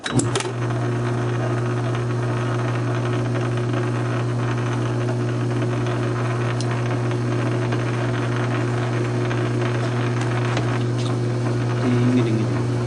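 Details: South Bend 9-inch lathe converted from Model B change gears to Model A quick-change gearbox, slow test thread cut; steady low hum with even constant gear whine, no clatter or knocking, thread pitch correct: normal running.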